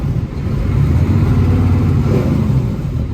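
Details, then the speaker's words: Used truck inspected before purchase (9-speed, 3.5 rear gears, turbo; suspected bad water pump, leaking brake chambers), coasting: deep, rapid, even barking rumble of the engine brake engaging and holding normally. "Oh yeah, it has engine brakes."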